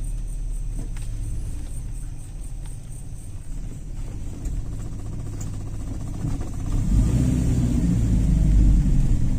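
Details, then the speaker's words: Carbureted Toyota Kijang after adjusting air screw, float and idle jet, which previously stalled or started hard when hot. After a roughly 6 km drive it is restarted hot, fires right away and settles to a steady, even rumble. "mudah-mudahan lancar ketika mesin panas di starter langsung hidup"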